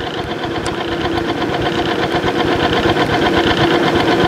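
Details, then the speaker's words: Timken OK load test machine running 10W-30 motor oil on a heavily scored rotating arbor: rough, uneven grinding rattle with irregular bouncing knocks about four a second; the arbor is worn out and running rough under load. "a lot of bouncing going on there probably time for a new new uh Arbor"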